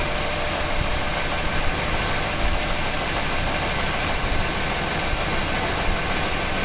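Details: 1998 5.7L 350 Vortec V8 after rebuild, run briefly before distributor timing is set; smoked from blow-by at first start but no longer smokes. Steady dense idle, even unbroken rumble, no tapping or misfire stumble; healthy.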